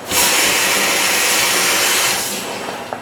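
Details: Fire engine pump with master air primer, priming from the intakes before drafting: sharp, steady hiss for about two seconds, then tapering off; the air primer is drawing a prime normally.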